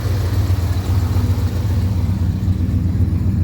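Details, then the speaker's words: Ford SuperCab truck, likely FE V8 (360/330/390 unknown), engine possibly freshened, running on bad gas: steady, even, low rumble with no knocks, ticks or stumbles; normal idle that sounds healthy. "Running on bad gas right now. You can just smell the bad gas, but It sounds healthy. Got trailer hitch. These things sound really good."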